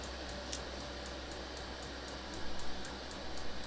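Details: Diesel heater on 500 W ATX desktop power supply warming up, about 60 W, set to setting three: low steady fan hum with quick regular pump ticks about four per second, fan and pump on high; normal warm-up.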